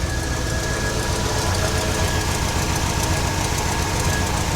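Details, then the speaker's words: 1969 GMC truck, small-block V8, restarted after loosening the overtightened alternator belt: even idle with a low, steady rumble and no belt squeal or chatter, running quieter than before. "Fire it back up now. See if I don't have as much noise. Yeah, it doesn't sound as bad."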